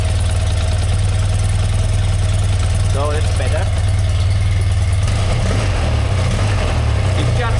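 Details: 1981 BMW R100RT air-cooled boxer twin, 29,000 km, last oil change 21 years ago, revived after long storage: steady, deep, even idle with a firm low beat and no misses, stumbles or knocks; normal idle.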